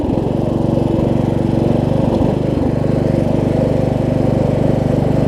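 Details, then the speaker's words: Craftsman LT1000 riding mower held at full throttle with the blades engaged after a deck swap and wiring repair: a steady, even engine drone with no hunting or surging, though it surged slightly earlier. Healthy running under blade load. "good with the runs good at full throttle though doesn't surge with the blades on either all right excellent"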